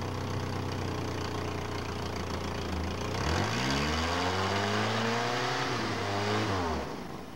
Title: 1985 1/2 Mercury Lynx Misfire